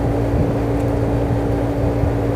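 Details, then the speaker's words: Window air conditioner opened up, blower drawing room air through: even airflow rush over a constant low motor hum, no rattles or scraping; normal blower operation. "यहां से हवा को खींचना है और यहां से वेंटीलेशन है ना यहां से देखिए ब्लोअर चल रहा है"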